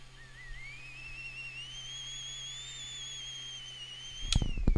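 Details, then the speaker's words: Anet A8 3D printer: holding the scroll button at the end of the file list ramps up the extruder fan, giving a thin whistle that rises like a teapot then holds high; odd firmware behaviour suspected. "it it ramps up the RPM on the extruder fan for some reason yeah it sounds like a teapot whistling or something that's freaking weird man"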